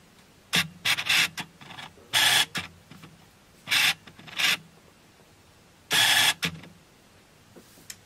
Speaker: As you just saw, I've got a really noisy autofocus on my lens that came on with my Canon 200D.